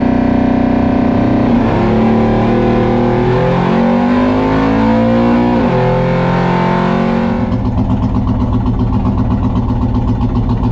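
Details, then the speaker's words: Nitrous Mustang after a track run: lumpy, uneven rev with a stumbling beat, down on a cylinder; plugs pulled revealed a melted spark plug in cylinder 3, the second melted plug found. "sounds like it's down on a hole guys doesn't sound good"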